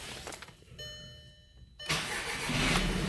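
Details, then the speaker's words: VW Eos with fault P0686/01670 (ECM power relay) and rodent-damaged wiring near the ECM, after the relay was refitted, started at 33°F in neutral. A dash chime, then the engine catches at once and settles to a steady, even idle. Normal start. "there we go so it runs just fine so yep that's all there is to it uh just making sure you check the wiring harness"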